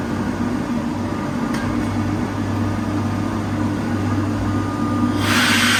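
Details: 2005 Kaeser SK 21 11 kW screw air compressor, 15,239 total hours (about 5,000 under load), fully serviced: steady low hum with even whir and rising hiss as air builds near the end; normal running.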